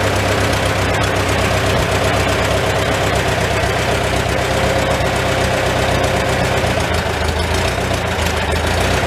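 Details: Old Farmall tractor four-cylinder with an often-rebuilt, finicky updraft carburetor, idling in a tight, smoky shed, muffler cap off; low, slightly lumpy idle with even firing. Normal idle, running pretty good.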